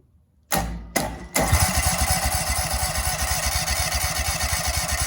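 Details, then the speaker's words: Husqvarna commercial zero-turn mower that sat 4 years in storage: two short cranking bursts, then engine catches into lumpy, uneven run; it seemed to need a long crank before starting. "i just cranked it and it was starting to cough so i think you just gotta crank it for a while"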